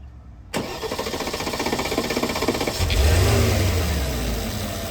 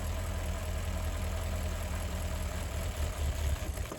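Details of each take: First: 2013 Porsche Cayenne Turbo 958 V8, 84k miles, after an eBay high-pressure fuel pump was replaced with a factory Porsche part and the ignition cycled to bring fuel pressure to 5800–6000; a short crank catches at once, flares and settles into a smooth idle. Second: 2013 Porsche Cayenne Turbo 958 V8, 84k miles, at idle with the electric fuel pump fuse pulled to bleed fuel pressure before replacing the high-pressure fuel pump; the even idle wavers and roughens as fuel starves, stumbling before it stalls after about 10 seconds.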